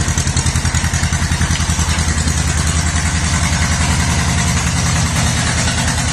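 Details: 1950s or 60s John Deere bulldozer sat 20+ years, started with starter fluid: steady, even low thudding beat at about two and a half per second with no knocks or misses while warming up. Normal running.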